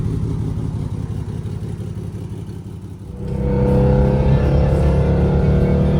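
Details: Alfa Romeo GTV: deep, booming exhaust that swells loud and blatty as the revs rise, far louder than the car ever was; exhaust leak.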